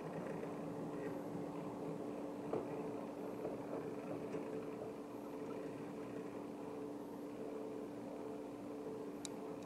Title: Epson Powerlite 8350 projector with defective Auto Iris Unit Grinding Noise Rattle Broken Part 2